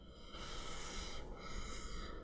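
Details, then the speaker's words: Zomei variable ND fader filter, ultra-thin aluminum frame, 2–8 stops. Two rasping scrapes under a second each as the ring is turned hard to its minimum or maximum stop: rough scraping at the end stop rather than smooth travel. "But what I don't like about this one is that the fact that when I actually throw it into either minimum or maximum, it has this noise."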